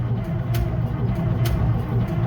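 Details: Case 2470 tractor, 1975 or later, that sat about 15 years and whose starter had hit a tight spot: a deep, steady crank with even low pulses and faint ticks that gets faster. It turns freely but no start and no oil pressure yet.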